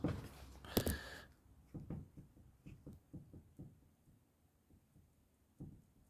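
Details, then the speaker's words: Old Mitsubishi Outlander, track rod ends rocked by hand in quiet bay: dull, uneven clunks roughly one a second from joint play, both sides equally bad, to be replaced; worn track rod end. "we're going to distract the ends because they're if you can hear that they're pretty knuckled um that one's just as bad if not was"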